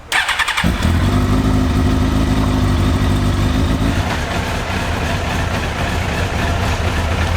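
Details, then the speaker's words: Suzuki GSX-R1000 at 10,900 miles, hot day of about 28°C, idling before its MOT: low, lumpy, uneven idle that sags; idle speed slightly low, and the cold-start idle was around 1500. "bit of a low Idol ticker is a little bit low you pick it up a little bit and then the cold start will come up a little bit"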